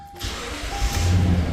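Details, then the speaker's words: 2013 Toyota Sequoia after cleaning the connector restored power at the green connector, jumper fuse fitted, cluster lit; engine catches quickly into a low steady rumble with no misses or knocks; starts and idles normally. "and it started awesome"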